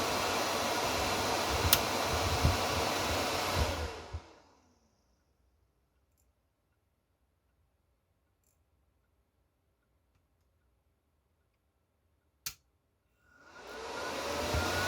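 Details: Chinese inverter welder labelled 'made in Germany' (board dated 2019), after replacing a crumbling Zener diode in the 24 V relay-drive circuit: cooling fan rush masks the relay click; the welder now works.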